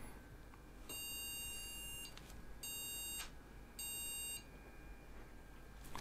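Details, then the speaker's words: PC with Ryzen 7 5700X3D (no integrated graphics) and no graphics card installed: BIOS speaker gives one long then two short beeps, board LED shows VGA; no graphics detected error. "there we go more beep codes coming out and this one the LED on there has shown VGA"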